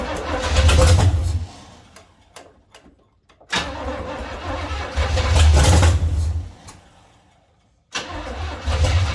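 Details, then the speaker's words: 1970 Chevy C10 small-block V8, run on fuel poured into the carburetor bowl while setting timing, possibly flooded and possibly in gear: catches and revs briefly, then sags and dies twice; idle too low, needs more idle and less timing. "needs a little more idle hopefully bring a little less timing a little more idle I think it'll sit there and run"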